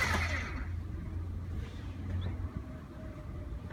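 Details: 1992 Mercedes 300E 2.6 (M103 engine) won't start: the starter turns the engine over with a steady low churn but it never catches, cranking with no fire, on an attempt using the accelerator.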